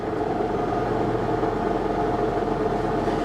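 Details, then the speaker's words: Lincoln MKX salvage-auction non-runner, push-button start; steady droning whir with mid-pitched tones over idle while in park, going away when put in gear; abnormal driveline mechanical noise, possibly from faulty reassembly, cause unconfirmed. "It runs. Oh boy. That doesn't sound good. No, that doesn't sound good at all, does it?"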